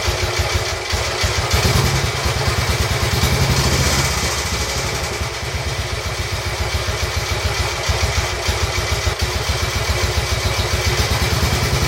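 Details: Royal Enfield Bullet 350 Classic, first start after cylinder hone, new rings, decoke, head torque, valve clearances and carb cleaning following partial seizure: steady even single-cylinder thump, consistent idle, light top-end chatter; dislikes choke, needs fine tuning.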